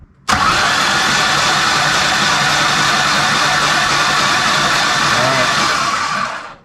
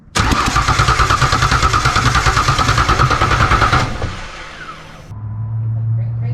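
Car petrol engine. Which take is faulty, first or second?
second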